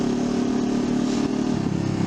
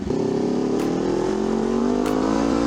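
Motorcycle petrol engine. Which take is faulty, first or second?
second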